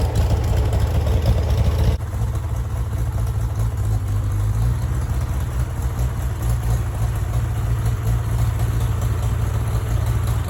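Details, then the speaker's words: Farmall tractor (1949 H or 1968 656, unclear which), troubled by fuel problems and cutting out; carburetor adjusted after it hadn't run over 30 seconds, coolant was 2.5 gallons low. Steady, even low-pitched chug with constant beat, no misses or knocks; normal running. "I feel like it runs honestly really well I had to do some carburetor adjustment on that um just because it hasn't really ran over 30 seconds"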